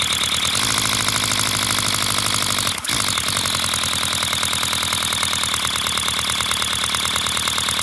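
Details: 3D-printed flat-four compressed-air engine, 30 mm bore and 25 mm stroke, run from an air compressor: fast, loud hissing puffs from air blowing straight out with no exhaust, steady after a brief hiccup; running fine and sealing well.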